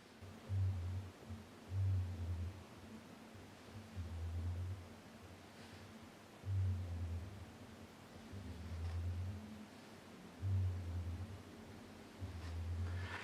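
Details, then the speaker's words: Nikon Nikkor Z 35mm f/1.8 S lens on a Nikon Z6, recorded by a Movo VXR10 on-camera mic: a low-frequency pulsing hum of about half a second each time the autofocus motor pulls focus from far to near. "each time the focus shifted you should have heard a kind of a low-frequency pulsing sound it doesn't last long but it's enough to be a problem when you're talking"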